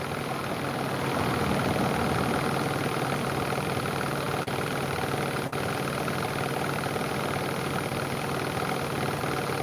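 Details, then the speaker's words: Bosch WAE24364GB washing machine after new motor fitted, running wash cycle and heating: even steady motor drone, no knocking or scraping; old motor was the fault, now fixed and sounding good. "It's not bad noise of the fan, so it's perfectly good. Happy with that."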